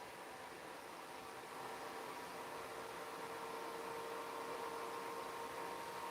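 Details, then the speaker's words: Circa-2007 desktop computer with DDR2 RAM, right after RAM and CPU upgrade at first power-on; a soft fan whir with a faint tone slowly ramping louder over several seconds as the fan spins up. "I don't know if you guys hear that that's ramping up it's definitely moving some manner"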